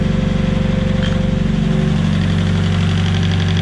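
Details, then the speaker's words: Nissan S15 idling after a lifter fault was fixed: steady even idle with smooth low pulse and no top-end tapping; remaining head noise is just warm-up. "so it was a lifter the whole time the noise you hear from the head now is just it warming up see that noise went away"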